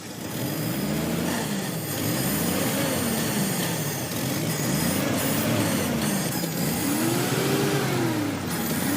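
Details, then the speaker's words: 1966 Pontiac Tempest overhead-cam six, revived after sitting about 30 years and treated with carburetor solvent for sticky rings: it revs smoothly through repeated blips with no misses or knocks and doesn't get hot, though it smokes a little; owner suspects cylinder number three. "that runs like a Swiss watch. And I ain't kidding you."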